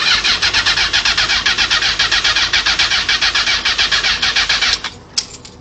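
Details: 1994 Honda CBR900RR with a newly installed engine and new spark plugs: steady starter cranking near four beats a second with no catch, then one sharp pop; cranks but won't start, occasional backfire; owner suspects carbs, unconfirmed.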